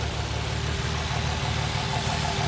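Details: Nissan VQ35HR petrol engine with P0300, P2A00 and P2A03 codes and multiple-cylinder misfires: a rough idle with a steady airy hiss over the low hum, air sucked in around the intake plenum bolts and studs.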